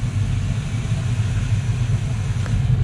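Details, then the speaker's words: Luhrs 28 twin 350 Chevy V8 inboards, warm day, after cable lubrication: one engine stuck at about 1,000 rpm idle, owner suspects it needs more warm-up; steady even low rumble idling slightly fast; high idle. "Then this one, oh, this one's stuck at 1,000."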